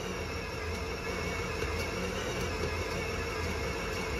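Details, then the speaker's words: Bakery dough mixer kneading beignet dough in second speed near 9 minutes: steady churn, low drone, soft irregular slaps as smooth dough comes cleanly off the bowl, normal kneading. "On voit qu'elle se décolle bien de la cuve. On voit qu'elle est lisse. Et des fois, on l'entend claquer, ce qui veut dire qu'elle est"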